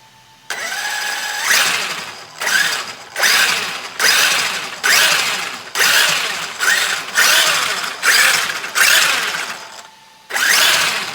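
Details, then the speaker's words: Traxxas X-Maxx RC truck after cleaning sand from the front diff gear and regreasing, with the aftermarket front diff cover suspected of binding it: repeated throttle blips, each a clean rising whir winding down smoothly, no grinding or clicking; normal drivetrain operation. "we are good to go that's what it was"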